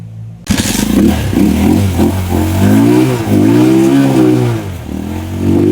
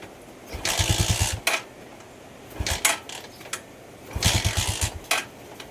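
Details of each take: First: Rusi Macho 175 single-cylinder after clearing water from tank and carburetor: blips up and down cleanly, revs rising and falling smoothly with no misfire or stumble; running properly. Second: Rusi Macho 175 with a good spark: three short bursts of firing, each dying within a second, so it catches but won't keep running. Water was found in the carburetor.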